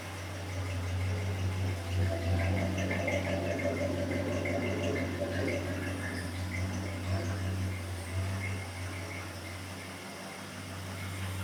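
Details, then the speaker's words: 1974 Ford F100 with a new Summit Racing intake, first start after timing was knocked back from too advanced, no coolant added yet: quiet, steady low V8 idle with no misses, pops or knocks; it runs well. "Well, that sounds like it's running pretty good to me."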